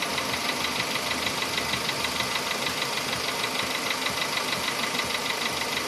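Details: VW Polo Sedan engine knock: sharp, regular ticking, roughly three per second, over a steady idle. Appeared faintly at about 61–62 thousand km and grew sharply louder by 67 thousand km; cause not yet pinned down.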